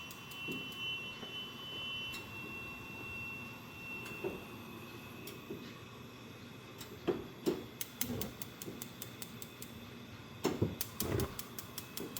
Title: Strange noise on the gas range